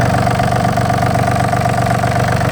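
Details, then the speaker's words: Yanmar AF226 26 hp 4WD Japanese mini-tractor with reverse, diesel: starts very easily and idles evenly, steady diesel clatter with no misses or knocks; normal idle. "запустился прилетели очень легко работает ровно"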